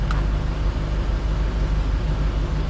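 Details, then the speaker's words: 2014 Isuzu D-Max 4x4 automatic diesel, which previously started only in neutral, after the neutral safety switch nut was backed off with the bolt left tight: it starts in park and idles with a smooth, even low rumble; normal idle. "I left the bolt tight. Just backed off the nut. It started right up in park."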